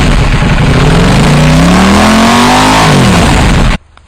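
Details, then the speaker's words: KTM Duke 790 twin with new IXRACE MK2 aftermarket exhaust, baffle (DB killer) fitted: loud, deep, clean rev climbing smoothly and cutting off crisply; normal, throaty exhaust note. "Bon, je pense que vous aurez compris pourquoi ils ont laissé la chicane, ça fait quand même pas mal de bruit, et puis bon, le bruit il est splendide."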